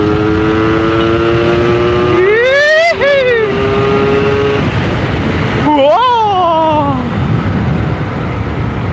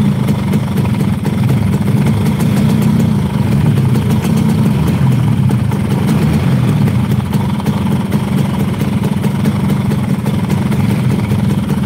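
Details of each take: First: Yamaha RX King two-stroke, previously hard to start and stalling and misfiring at high revs, now revving cleanly and freely through the top end after repair; clutch still slipping. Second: Yamaha RX King two-stroke that stalls when revved: buzzy idle with an uneven, lumpy beat that fades at the end. Rough idle from a faulty carburetor, with an oversized pilot jet and a leaking membrane.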